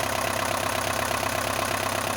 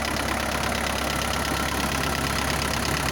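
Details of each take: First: Isuzu NPR diesel, rebuilt with new valves, restarted after 11 years on bad fuel, now at operating temperature: even steady idle, cold tapping gone; sounds good warm. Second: Isuzu NPR diesel, first start after 11 years parked, bad fuel, new pistons, sleeves and valves, cold at raised high idle: steady clatter with a quick valve-like tap that comes and goes and disappears once warm.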